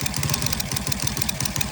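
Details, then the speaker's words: Rusi Cracken 110 motorcycle idling with fast sharp metallic ticking like a timing chain over an uneven, misfiring putter; owner has replaced almost all parts, camshaft being removed, ticking from valve train/camshaft. "Mga >> boy >> meron tayong ginagawa ditong rusy cracken cracken mga boss >> yung andar niya yan parang may tunog timing change"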